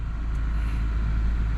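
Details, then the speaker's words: Toyota Camry just started and warming up, with the check engine light on and AC running with defrost: smooth, steady low idle hum, no knocks or misses; runs well (owner suspects an oil leak from the valve cover). "okay it's running good I'm going to get her warmed up"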